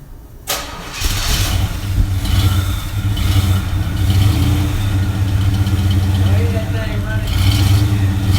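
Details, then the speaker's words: 1969 Chevrolet Impala Custom with a 327 V8, started after long sitting in a barn. After a brief crank it catches quickly and settles into a strong, even, deep rumble: it starts and idles healthy. "oh y'all heard it brother it sounds good sounds excellent"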